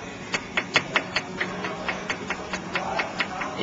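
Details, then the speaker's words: 2003 Ford Escape sway bar end link rocked by hand: quick, even clicking knocks about four a second from excess play; worn link causing a clunk over bumps and potholes, which is fixed by replacing the link. "this is the sway bar and it says linkage this is what's making the clunking sound when you go over bumps and potholes like if this is what it sounds like"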